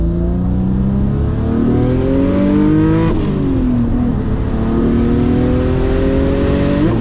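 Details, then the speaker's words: Single-turbo Audi B5 S4 on Haltech, new tune near max on 93 pump gas, two hard pulls: pitch climbs, drops at each shift, top end flattens as boost tapers; boost oscillation from an exhaust leak at the wastegate inlet, easily fixable. "it sounds like when the car is like up in the higher end of the RPM, it sounds like the boost is like tapering, and it's basically some boost oscillation which is going on."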